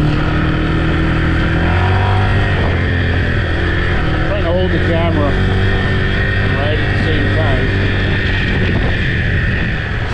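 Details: Yamaha TT-R 125 single-cylinder on a test ride after carburetor work: pulls cleanly through rising and falling revs under wind noise, no stutter; runs good, clutch good, brakes work, may need front pads, needs choke cable.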